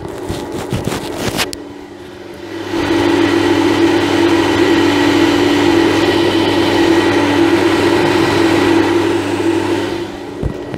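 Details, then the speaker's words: Europlast bathroom fan, newly installed, powered with its LED lit and running without the cover. After a short handling clatter it spins up to an even, smooth, pleasant hum that isn't too loud, with no rattle or scrape. Normal fan running. "ich hoffe man hört dass ich bin das jetzt ein angenehmes geräusch willst nicht zu laut"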